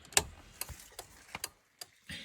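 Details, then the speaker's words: 1995 Chevrolet Impala SS with LED taillights fitted, original round flasher reinstalled and one resistor removed: crisp steady relay clicks about 2.5 per second; turn signal flasher working normally. "And you can hear it's clicking away."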